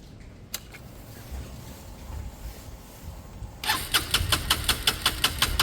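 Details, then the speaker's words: Small Chinese 125 motorcycle (Lexmoto Michigan or Herald Classic 125) on a used but good battery. Strong spark was confirmed and the owner suspected no fuel prime. Brief quiet cranking, then it fires and settles into a crisp, regular beat. It is a normal start, to be warmed up to circulate oil. "all right that's not bad not bad let me get it up to Temp and just let it all circulate the oil"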